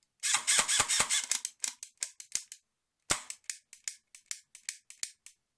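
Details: Colt M4A1 airsoft AEG in single-shot mode: crisp shots and trigger clicks in uneven bursts, some pulls not firing until switched to full auto and back. Still misfiring despite an active-braking MOSFET, rewiring, a new motor and connectors, cleaned gears and contacts, checked shimming, and a new anti-reversal latch.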